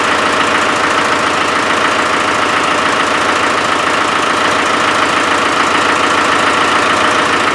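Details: Land Rover 300Tdi diesel at steady idle: regular puffing chuff about three times a second; owner believes compression is escaping around the glow plugs; compression leak at glow plugs.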